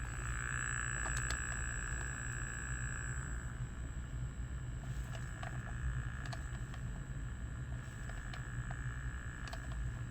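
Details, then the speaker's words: Terra Force arcade PCB heard over speaker, volume pot fully off: constant low hum with buzzy overtones and faint high whine, nearly silent when board is lifted; electrical interference. "If I lift the board, damn near it goes silent. So we are having an interference."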